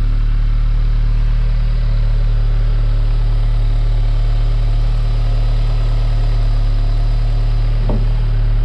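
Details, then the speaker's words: Audi S3 8V after fitting Racing Line inlet and an outlet, heard from inside: smooth heavy low rumble at fast cold idle, one brief click; sound barely changed from stock at standstill; normal cold-start idle. "Ça va, en tout cas de l'intérieur, le bruit change pas vraiment. Alors j'entends pas de différence non plus à l'arrêt, au ralenti, avec le démarrage à"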